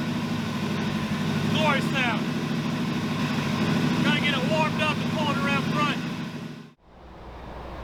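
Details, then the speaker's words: 1981 Buick LeSabre, Oldsmobile 307 V8, 200R transmission: lumpy, stumbling idle with uneven beat about three per second, seemingly running on three or four cylinders, needs throttle held to stay running; owner suspects water ingestion from off-roading, unconfirmed. "we got her pulled around front here she's running really bad I think it's running on like three or four cylinders you got to hold it to the floor to keep it going every now and then it'll pick up all eight"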